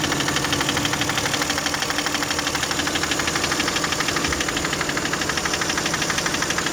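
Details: Toyota 1MZ-FE V6 at idle, knock appeared at first start after spark plug change, intake manifold removal, injector seal replacement and throttle body cleaning; steady fast ticking about three per second, seemingly from the left near the middle; cause unknown.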